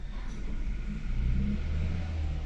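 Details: Haval H6 1.5T with check engine light, power loss, heavy shaking at idle, codes P0300, P0301, P0303: deep uneven lumpy idle rumble. Misfire in cylinders 1 and 3, coils checked by secondary ignition scope.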